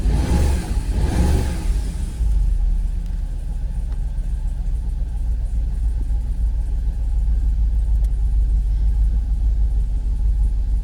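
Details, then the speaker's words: Jaguar XKR X100 V8 after hard reset and full battery charge, cold morning start: deep uneven lumpy stumbling idle after a brief rev, seemingly not firing on all 8, revs dip in gear; rough idle, cause not confirmed. "I don't know. I don't think it's firing on all 8."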